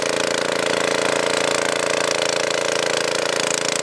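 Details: Tiller single-cylinder small engine that wouldn't start, fixed by blowing debris out of the carburetor with compressed air: an even crisp regular buzz at steady speed with no hunting or misfire; running normally.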